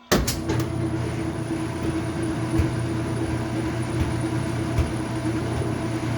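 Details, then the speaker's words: Washing machine that won't spin, loaded with wet towels, on low spin: a steady low electrical hum with no spin-up. The motor is energised but the drum stays stalled in the same spot; cause not confirmed. "Let's see. Still in the same spot."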